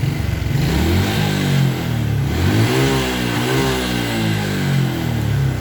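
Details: Suzuki Smash with body ground wire reconnected: revs up and settles back cleanly, picking up throttle without hesitation; the earlier throttle hesitation is cured.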